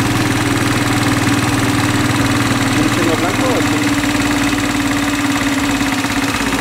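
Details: Italika WS motorcycle not starting after a tune-up, new ignition coil fitted giving better spark: steady starter churn about three turns a second with no firing; suspected wrong wire and poor ground, unconfirmed.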